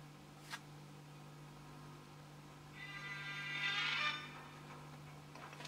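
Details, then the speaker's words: Compact Pye record player with a known good stylus: thin, faint music over steady mains hum; clearer but output still very low, cartridge suspected. Weak record playback output. "As you can hear, it's clearer, but it's still very, very, very little output there."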